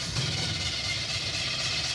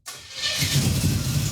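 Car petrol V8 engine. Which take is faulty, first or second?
first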